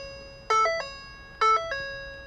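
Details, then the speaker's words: 2010 Ford F150 instrument cluster, after repairing circuit-board traces burned by a reversed battery cable hookup that had left no communication and a no-start: two clean two-note chimes about a second apart; the cluster powers up and chimes normally. "Up sounds like it's working looks like it's working"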